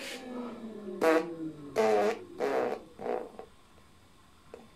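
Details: Kugoo G-Booster electric scooter after rear suspension arm replacement and motor cable reconnection; four short throttle bursts, each a clean rising whir that fades with no grinding or clicking; rear hub motor spins freely, normal.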